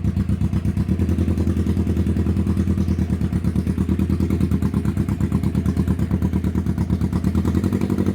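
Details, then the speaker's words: 1991 Kawasaki EN500 twin motorcycle running after out-of-range new pickup coils were found to have thrown off the ignition timing and caused stumbling and bogging; steady, even beat with no misses or stumbles; normal running. "It was the pickup coil. Um I used new ones. They were completely out of range and uh they've thrown off the ignition, set the timing wrong, stumbling, bumbling as we saw before."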